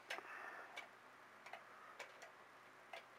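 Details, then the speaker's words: Regulator clock restarted after calendar hand repair (it was spinning freely and gaining days); crisp, even ticks about every three-quarters of a second in a quiet room, with some case handling. The clock is running normally. "it's time to fire it up there we go got our tickin again"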